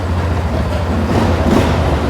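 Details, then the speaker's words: 2009 Polaris Sportsman XP ESP 550 after flipping the clutch one-way bearing and retorquing to fix a no-shift problem: low steady single-cylinder idle, smooth with no squeak from the clutch; shifting now works. "I don't hear any squeaking or anything, so I'm pretty sure we cured the problem."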